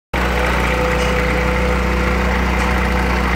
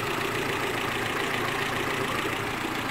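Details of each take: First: Renault Clio engine at idle: uneven, stuttering misfire beat with a faint belt-area noise, heard as a failing ignition coil plus a worn timing-belt tensioner. Spark plug wells were full of water; cleaning the plugs and cables didn't fix it, only replacing parts will. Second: Renault Clio petrol engine idling smoothly and quietly, no misfires or belt noise, after the misfire was fixed by replacing the ignition coil, belts tensioned and timing set; water pump was the earlier noise.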